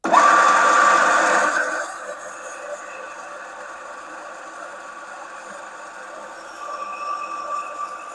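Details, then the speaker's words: Large old self-feeding drill press, recently unseized from rust, running: a loud whirring with a steady high whine that spins down. Owner suspects a bearing on its way out, and the gearbox oil looks black and needs changing. "It's quite a noisy machine. I think there's a bearing on its way out as well, and I need to change the gearbox oil."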